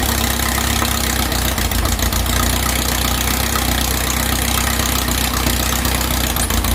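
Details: 2332cc "Dust Buggy" bug after carb removal and cleaning, with fresh oil and a new filter. Initial missing was corrected by setting the mixture screws. Even, steady low idle with a constant throb and no misses or stumbles: normal idle.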